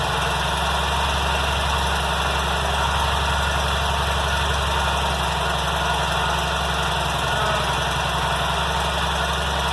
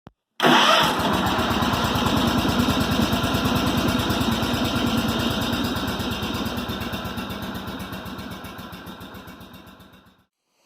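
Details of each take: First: Kohler M18 twin on 1990 Cub Cadet 1882, rough-start repair after muffler fix, new air and fuel filters, new plugs and fresh fuel replacing stale watery gas: steady even low idle, starting better, only faint roughness left. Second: 1990 Cub Cadet 1882 Super Garden Tractor, Kohler M18 twin: cranks, catches, then lumpy uneven putter that sags and slows before shutting off; very rough start, cause not confirmed, later addressed via muffler repair, new air filter, corroded plugs and stale watery gas replaced.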